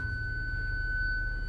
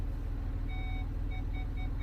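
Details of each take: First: 2006 Land Rover Discovery 3 with rear-only parking sensors: selecting reverse gives one steady high-pitched tone instead of pulsing distance beeps, and the sensor button LED flashes. Parking sensor fault warning tone; sensors not working. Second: 2006 Land Rover Discovery 3 parking sensors, tested during fault finding: over a low engine idle rumble, evenly spaced short beeps come about three times a second. The sensors are working normally.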